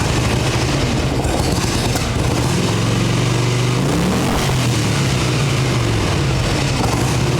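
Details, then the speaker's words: 1989 Harley Ultra Classic Tour Glide Evo, bottom-breather butterfly carb, on ancient gasoline: a fast, busy idle on full choke at about 3,200 rpm with a wavering pitch. High choke idle. It starts on choke but dies without it. "Full choke and idling at about 3,200."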